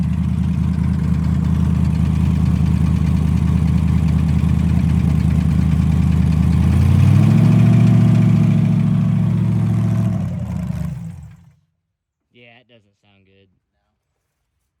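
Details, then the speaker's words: Rebuilt engine after nitrous dyno pulls, listened to from the side: rough, deep idle with a steady clunking beat that gets louder and harsher when revved, then dies off; bottom-end knock, suspected rod bearing, possibly cylinder five, unconfirmed. "got so loud whenever you started revving up I was like yeah I'm getting my face away from here it started actually sounding worse yeah I'll just say it's we got bottom end problems"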